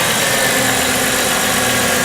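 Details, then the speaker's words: 1998 Chrysler Town & Country 3.8L test run after replacing the number one fuel injector: a steady, even idle with a light constant mechanical hiss, no misses or knocks. Normal idle. "okay so we've started the engine here's to be running smoothly making the normal kind of Chrysler noise"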